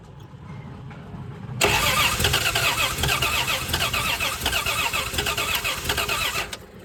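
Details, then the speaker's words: 1978/79 Plymouth Volare wagon, out of a junkyard after four years: starter churns quickly and evenly for about five seconds, almost catching but never running; the distributor cap isn't seated all the way and won't sit. "it almost busted off there you already I don't have the distributor cap on all the way I can't get it to sit in there"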